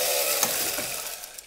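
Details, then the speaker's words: Handmade B9 robot arm rail system driven by a Sabertooth 32X2 motor controller with Kangaroo X2: whirring gear drive with sharp clicks at one point of travel as the cable wraps on top of itself and flops off the drum, causing a jerk. "the cable down the bottom it it flops off itself and it creates a little bit of a jerk"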